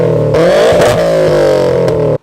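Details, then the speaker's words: Subaru WRX STI exhaust: crisp, throaty rev with pitch climbing and easing back before a sudden cut; healthy, great-sounding exhaust note. "So why do owners still want a WRX STI? I mean, I see the appeal. The exhaust sounds great."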